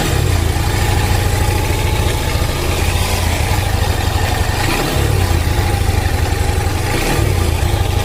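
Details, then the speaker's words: Honda Hornet 160R motorcycle engine idling: quick, light ticking rattle riding over the low thrum, steady with the idle and reportedly more noticeable when riding; timing chain tensioner noise, recurring after an earlier fix. "എന്നാലും പക്ഷെ നമുക്ക് റണ്ണിങ്ങിൽ ഒരു sound ഉണ്ടാവില്ല ടക്ട അങ്ങനത്തെ ഒരു sound ആണ് വന്നുകൊണ്ടിരിക്കുന്നത്."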